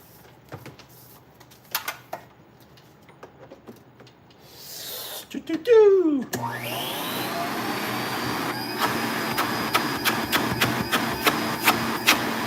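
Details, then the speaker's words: Filter Queen canister vacuum being prepped for sale, motor running with attachments removed: quick rising whine spinning up, then a smooth steady hum with some ticking; healthy motor, nothing lagging. "so yeah, take all of that stuff off and let the machine run with just the motor running. Nothing is lagging on it."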